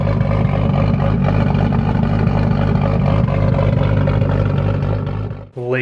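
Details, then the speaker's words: Nissan Skyline turbo engine, first start after rebuild: steady even idle, no turbo whistle or knocking, but very loud crisp injector ticking; fuel pressure solid, AFRs good, coolant 128°F, oil pressure 5.3 bar. "all right so far so good turbo sounds good no crazy noises in the head but the injectors are super loud"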